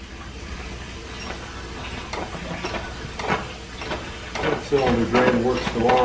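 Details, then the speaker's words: Old steam engine in a 1925-style shop: steady chuffing with hard knocks at each stroke end, three to four a second; piston hammering with cylinder cocks open because end-of-stroke compression cushioning is lost. "You can hear it hammering quite hard when I had the cylinder cocks open because it wasn't cushioning it like I told you it was designed to do."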